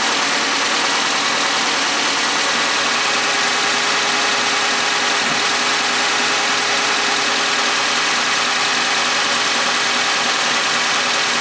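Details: Suzuki G16B 16-valve (Geo Tracker) engine with 133,000 on it, idling and warming up after valve lash adjustment: a smooth, even idle with a steady hiss and no ticking or knocking; the valvetrain sounds quiet and healthy.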